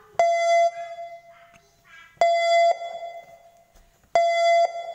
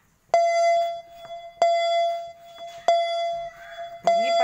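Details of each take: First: Mitsubishi car being locked: four short, clear mid-pitched beeps about two seconds apart, the normal door lock confirmation. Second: yang bunyi keduanya adalah asetbet pengaman tidak dipakai pada Mitsubishi Grandis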